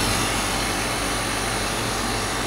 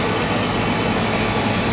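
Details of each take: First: Static refrigerated trailer condensing unit that was not cooling (compressor MCB tripped), after the condenser was cleaned, the out-of-spec run capacitor replaced and the fan motor oiled: a steady, even fan rush and compressor hum with no rattles or squeals; running normally. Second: Static refrigerated trailer condensing unit not cooling, compressor B-type breaker found tripped and reset, liquid line hot: loud steady roar, no knocks or cycling; running under heavy load; later condenser cleaned, run capacitor replaced, fan motor oiled.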